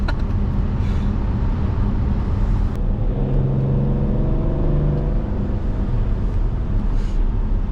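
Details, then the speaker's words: BMW X5 35d, 286 hp biturbo diesel, on a test drive after full engine rebuild (head resurfaced, valves lapped, new oil pump, head gasket): pulls smoothly under moderate, not full, acceleration over road rumble; power restored, no abnormal noises. "Bon, je suis content, il marche bien. Donc bon là j'ai un peu poussé légèrement on va dire, hein."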